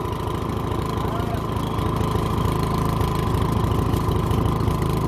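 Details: Toro 1000 Snow Series snowblower, sat unused 2–3 years and wouldn't start, electric start tried with choke on before carburetor cleaning: small engine chugs unevenly at idle, lumpy irregular beat near 160 per minute; rough running, exhaust stinks.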